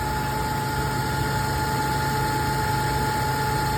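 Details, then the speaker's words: 2002 Toyota Tundra 3.4 5VZ-FE V6, intermittent misfire for a year and a half, after replacing seized 22-year-old spark plugs and sleeving one stripped plug thread: steady, even idle with a smooth hum and no stumbles. Normal idle. "look at that just need a freaking spark clug"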